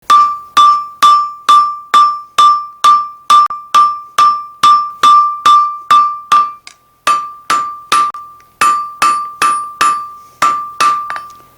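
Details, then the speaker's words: Loud, sustained bell-like ring from hammer blows on a noisy anvil before it was remounted to its base to quiet it; hard on the ears. "you just love listening to the anvil ring really makes you think about blacksmithing for about the first minute or so and then it gets pretty annoying and it's kind of hard on your ears"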